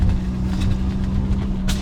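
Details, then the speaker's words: Abandoned FD Mazda RX-7 rotary on a road drive at about 10% throttle: low, uneven drone with rough stumbling note; breaking up under light load, a leaky or stuck-open fuel injector suspected given rough running, flooding and heavy exhaust smoke. "to verify this I decided to go on a little drive and well oh it's breaking up oh that 10% throttle oh you hear"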